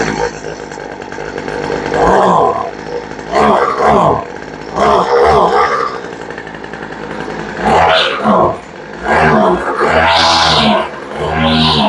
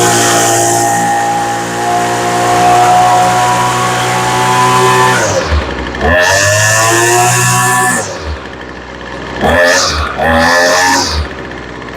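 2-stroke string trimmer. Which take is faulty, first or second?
first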